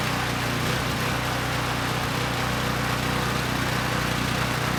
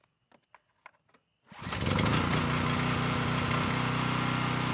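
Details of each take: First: Coleman Powermate Pulse 1850 generator, 1996 engine, long unrun, before repair: slightly uneven, wavering beat, smoothing only at half choke, still supports 1500 W load; rough running from contaminated fuel and dirty carburettor. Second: Coleman Powermate Pulse 1850 brushless generator, about 23 years old, first start after carburetor reinstall and fuel-system repair (tank to carburetor), had run rough before. A few clicks, quick catch, then a steady even run with no misses or surging; engine sounds good.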